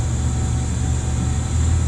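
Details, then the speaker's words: Gas water heater about 10 years old, started after a PEX repipe: steady low fan hum with an even drone and no rattle or scrape as the draft inducer pre-purges. Burner then fires right off; normal pre-purge. "oh my gosh pre-purge i hear it"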